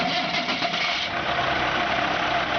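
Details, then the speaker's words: 1995 Ford tandem axle water truck, diesel: fires right up into a steady, even rumble with no misses, knocks or surges; normal idle. "you can hear, she doesn't miss a beat. She fires right up and purrs like a kitten."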